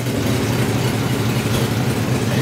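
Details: Flathead V8. A low, smooth, even idle with a steady beat and no misses or knocks. Normal, healthy idle.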